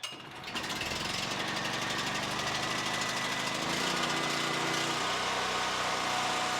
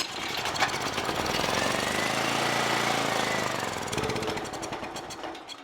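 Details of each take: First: Generac GP7500E generator that came in not starting, bad carburettor, started with choke on: quick pull-start, the small engine catches and settles into a steady, even, fast chatter, running normally. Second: Generac GP7500E generator that won't start, choke on, primed by squirt bottle: after the pull it catches, runs roughly a few seconds, then dies; fuel not flowing from the bowl, blocked carburetor, to be removed.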